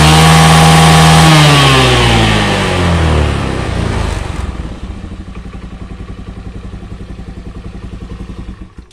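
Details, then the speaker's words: Honda Beat carburetor scooter with heavy, powerless pull from leaking carb vacuum, after new vacuum fitted: revs hard and clean to the limiter, previously unreachable (topping out about 7000 rpm), then winds down to slow even idle; no flat spot, normal. "oke untuk hasilnya Joe sesuai harapan ya saat digas mentok di rpm nya itu bisa limit tadi ini sebelumnya itu enggak bisa limit ya"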